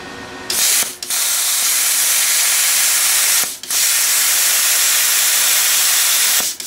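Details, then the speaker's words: Everlast Power Plasma 50 plasma cutter at 19 amps on very thin gauge steel: a steady, even high arc hiss with short gaps between cuts as it goes through like paper. Normal cutting. "But anyway, you can see he went right through that like a piece of paper."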